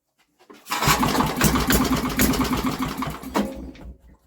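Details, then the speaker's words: Old Briggs and Stratton generator with a new carburetor, after tapping the carb: a pull start gives about three seconds of weak, irregular sputtering pops that die away. Timing is thought not to be the problem; it fires briefly but won't keep running. "let's see if it do anything nothing look most bizarre I know wow she tried didn't"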